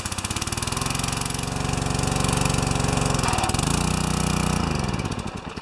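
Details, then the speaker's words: Pressure washer with 4 HP vertical-shaft engine and newly replaced pump; single-cylinder engine chugs unevenly, dipping and labouring; pump too big for the motor, bogging under excess load before adjustment. "the pump's a little too big for the motor. So now we're going to adjust it. I knew that was going to happen."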